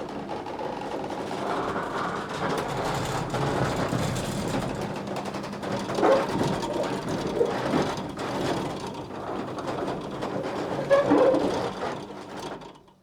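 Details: Garage door opener after a first-time DIY repair: even motor drone with chain rattle for about twelve seconds, then a smooth wind-down over the full stroke. The locking bar keeps falling out. Normal operation.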